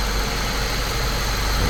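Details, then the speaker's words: Saab 9-3 Turbo idling after the ignition coils were refitted to cure a slight misfire, with the camera on top of the engine. Even, steady idle with a smooth low hum and no stumble or miss. "I've set the camera on top of the engine so you can kind of get an idea of how smooth it's running."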